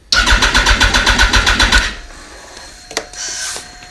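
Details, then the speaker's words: Yamaha R1 with a freshly charged battery, fuses and relays checked: fast steady starter cranking at about four beats a second for under two seconds, engine never catches; cranks but will not start. "Yeah, all I do it's cranking, but it's not starting."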